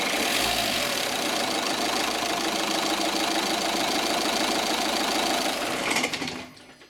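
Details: Opel/Vauxhall Zafira, Astra or Vectra 1.9 CDTI diesel with code P1125: steady diesel clatter, then a rattle, jerk and shudder at shutdown before dying away, caused by a faulty throttle flap not closing cleanly.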